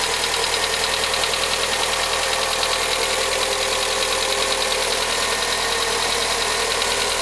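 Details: VW Gol G6 1.0, first cold start: a quick, even ticking of about three per second over the idle. The dealer diagnosed faulty hydraulic lifters, and the engine was opened to replace them.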